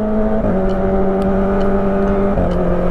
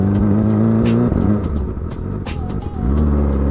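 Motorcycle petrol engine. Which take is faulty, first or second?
second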